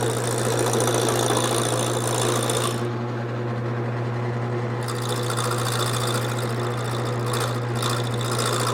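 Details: Wood lathe with the gouge started slowly on an off-center, out-of-round blank. Steady motor hum as the gouge chatters in uneven bursts of about three to four knocks a second on the corners. Intermittent knocking cut.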